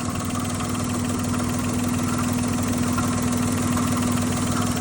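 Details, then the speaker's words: Daihatsu Naked kei car with Hummer body kit, aftermarket intake: light ticking about three per second over steady idle, comes and goes; owner suspects something touching after each rotation or a loose vacuum line. Cause suspected, not confirmed. "Sounds like one of these vacuum lines are loose outside of everything else."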